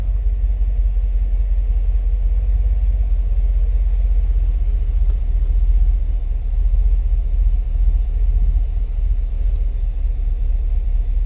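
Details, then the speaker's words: 2017 Cadillac Escalade petrol V8, 126,000 km, shaking at idle with check-engine light: deep rumble with slight stumble, misfire moved to cylinder 1 after coils swapped, judged a faulty spark plug; all plugs replaced. "1번 실화가 계속 발생이 됩니다 일본의 12번 28번 30 4번 뭐 이렇게 계속 볼트가 올라가죠 1번 쪽으로 실화가 옮겨갔기 때문에 요거는 플러그 분량이라고 판단하고요"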